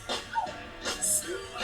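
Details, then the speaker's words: Biema Alpha line array amplifier module, after fixing two faults left by a previous repair attempt (no schematics): music plays thin and a little harsh, with some distortion and the bass line missing, only higher frequencies; cause unknown. "you hear some Distortion in that I said there's no base basically"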